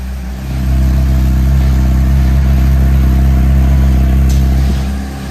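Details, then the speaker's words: Motorcycle with oil checked: even, steady idle with a regular exhaust pulse for a few seconds before it shuts off; healthy normal idle. "Fires up instantly. Very nice. Now I did check, this bike does have oil in it, so I'm gonna let it run for a few seconds here."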